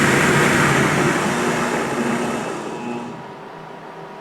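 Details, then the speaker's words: Treadmill motor (variable speed, reversible) fitted to a Harbor Freight lathe, running at about 700 RPM with a smooth, even whir, quieter than before the conversion. Motor temperature is about 66.2 degrees: normal run. "there you go about about 700 RPM relatively quiet certainly quieter than it was before"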